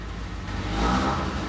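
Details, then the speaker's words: 1986 Toyota Corolla GTS first crank after months sitting, in neutral with throttle: engine revs unevenly with a lumpy note; running rough, cause not yet known. "All right, so the car's running real rough, but regardless, we're gonna try to take it out for a spin."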